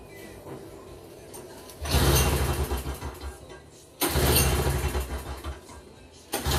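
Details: Toro CCR2450 snowblower, 141cc R-Tek two-stroke on mix gas, no-start complaint with a leak: catches in short rough bursts, dies, then fires briefly again; hard starting, cause not confirmed.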